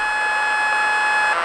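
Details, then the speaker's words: Lightning-damaged NuTone IMA3303 intercom, radio section: steady high squeal at one pitch with a second tone an octave above, pitch differing between AM and FM; the audio circuit is self-oscillating, cause unknown. "if you notice between am and fm the pitch of the distress call is different now"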